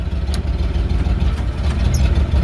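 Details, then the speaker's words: 1952 Ford F1 on a 1978 Ford F-150 chassis, just started: deep, low rumbling idle holding an even beat with no knocks or ticks; engine sounds healthy, though a slight exhaust leak is noted. "this is a 1952 Ford F1 it's sitting on a 1978 Ford F-150 chassis touch of the key and she fires right"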